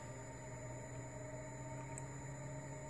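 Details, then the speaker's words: New graphics card giving a faint high-pitched coil whine over a low hum, synced to desktop mouse movement; the whine stops when Windows mouse pointer trails are enabled. "a very distinct high pitch noise and I'm still pretty young so I can hear it quite well"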